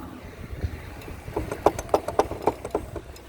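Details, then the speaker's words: Clunking while riding a Tao Tao Pony ATM 50 scooter (50cc GY6 139QMB) after the front brake line broke; sharp knocks about four a second over a quiet engine, something loose clunking, ridden home on rear brake only. "except for that clunking when i got home i immediately ordered a new brake line from scooterworks.com"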